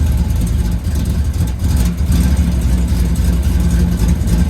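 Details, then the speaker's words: 1984 Pontiac Firebird V8, cold start in snow, mechanical fuel pump primed through 20 ft fuel hose: deep idle surges and sags as if wanting to die, only just holds; rough cold idle. "She don't like the cold at all, man. She's idling though."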